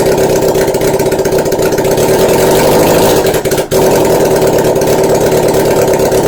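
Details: Normal idle of a 1981 Honda CB750 engine: an even, steady idle with a quick regular pulse and no misses or knocks, showing a healthy engine.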